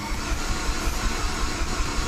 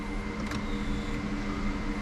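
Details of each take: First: Mini Cooper turbo project that sat two years, with turbo and exhaust manifold just fitted: the starter cranks evenly at almost three pulses a second with no firing, to build oil pressure before the first start; normal no-start crank. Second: Turbo Mini Cooper after sitting two years, first key-on with the ignition coils unplugged to build fuel pressure: steady low electric hum with no cranking. Fuel pump priming; engine does not turn over.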